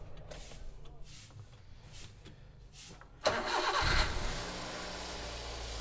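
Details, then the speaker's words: Used 7-seat family car, engine dirty but dry: a brief crank catches quickly and settles into a smooth, even petrol idle with no stumble or odd noises; the engine sounds healthy. "Hai suaranya masih bagus Hai suaranya masih sangat langsung suaranya bener-bener masih enak ya kedengarannya enggak ada yang pincang Nggak ada suaranya ini yang beda"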